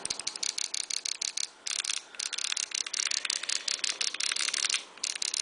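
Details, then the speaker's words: Paintball marker with a Frenzy board, eyes off and the setting turned to off, yet it still fires rapid bursts at a steady capped rate and will not enter programming; cause unknown. "obviously you can hear it it is on cap so i am not sure why that would even make a difference"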